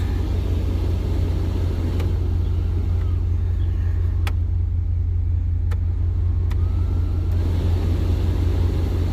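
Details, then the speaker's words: 1994–2002 Dodge Ram, AC blower on high after replacing the blower motor fan that made an awful noise: steady low rumble with no rattle, scrape or whir from the dash; quiet blower, fixed. "all right no more noise"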